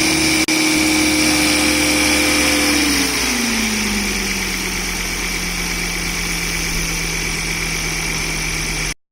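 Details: 2006 Volvo V70 R turbo engine at cold-start idle with a tinny, rattly howl that drops in pitch as idle settles, traced by stethoscope to the turbocharger housing; also heard when accelerating around 2000 rpm, stopping above 2500 rpm.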